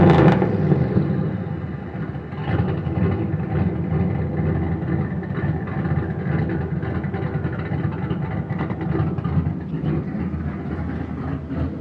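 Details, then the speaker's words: Boosted Fox-body Mustang V8 walkaround: a deep idle with revving, broken by uneven sharp puffs and ticks from a slight exhaust leak. "a little walk around of the boosted Mustang. Slight exhaust leak."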